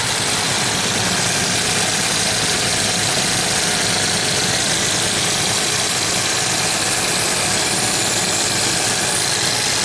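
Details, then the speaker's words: 1990 Jaguar XJS V12, warm, idle adjustment screw turned fully in yet still over 1,000 rpm: fast steady idle under a strong hiss, no regular knock; high idle from vacuum leak, one disconnected hose later found. "And we're still over 1,000 RPM. Crazy. So there has to be vacuum leaks somewhere in this tree of vacuum hoses."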